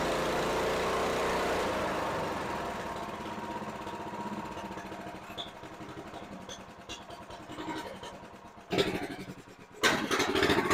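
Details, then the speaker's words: Honda GX390 in a 2005 Chuck Wagon 4x4 UTV, with a new carburetor and a #100 main jet swapped back in for the 91: a sagging, fading idle that coughs twice and nearly stalls, with no power; the idle circuit is still troubled. "I'm still struggling a little bit with the idle carburetor so we're still struggling here the engine is still coughing uh we're not getting the power and it continues to stall"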